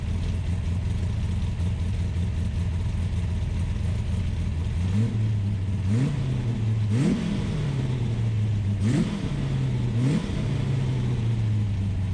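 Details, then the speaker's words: Ultima GTR supercar with American V8, started on a jumper pack and warming to temperature, gauge reading only about 60 degrees though fans pulled hot air: fast, steady idle with a few brief blips in speed; idling high. "but it's definitely hot because the fans which work on a switch i found uh were pulling hot air so it was idling high"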